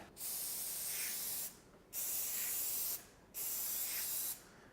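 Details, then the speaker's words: TensorGrip spray adhesive gun set to about 100 mm fan (about five turns of the wheel behind the trigger): three loud bright hissing bursts; correct spray pattern hiss, quieter when too wide. "you should be able to hear that real loud hissing sound from the gun"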